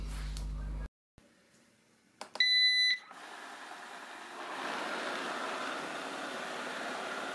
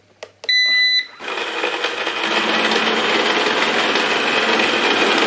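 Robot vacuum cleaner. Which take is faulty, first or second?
second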